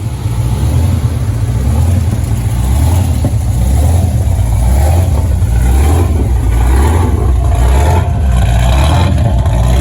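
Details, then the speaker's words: Dodge 5.7 Hemi V8 after swapping to performance heads: deep, lumpy idle with a sharp puffing tick riding on the exhaust pulses; exhaust leak at the long tube headers. "As you can hear, I have a exhaust leak. The exhaust leak is at the long tube headers."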